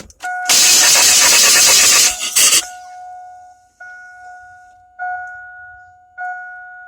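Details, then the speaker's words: 2002 Chevy Astro van 4.3 with a fuel pressure gauge connected: starter turns the engine steadily for about two seconds but it never fires, then only a chime; cranks, no start. "Alright, so I have it cranks but does not start."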